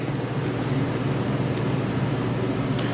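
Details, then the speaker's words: Attic fan in the cabana, newly wired electrically, runs with a steady low hum and even churning rhythm, no rattles or scraping; sounds like the original Long Island house fan, normal running. "yeah I just love that sound that's definitely the fan we used to have at the Long Island house"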